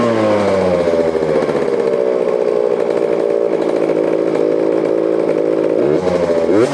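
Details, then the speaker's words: KTM 350 four-stroke dirt bike with Lectron carburetor, after fixing no spark and an oversized fuel hose and adjusting the air screw: steady, even buzzing idle, slightly high, with no stumbles and a quick throttle blip. It now runs smoothly. "this that's way better right on guys TI a little high but we got her think we got it figured out"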